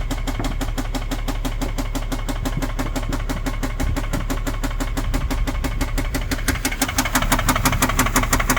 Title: 2010 Infiniti G37 engine knock